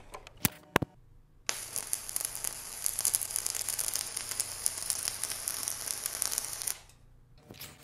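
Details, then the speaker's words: VEVOR MIG-130 3-in-1 welder, stick welding 6013 electrodes, ground on positive, at full current: steady crackling sizzle about five seconds with no breaks or pops; smooth stable arc giving a good bead. "okay we got a good bead there so I'm going to turn this down more but hey it worked"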